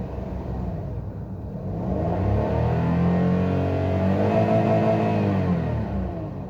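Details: Petrol car with engine light and code P0302, cylinder 2 misfire: revving with an uneven, lumpy pulse from the single misfiring cylinder, likely a failing spark plug.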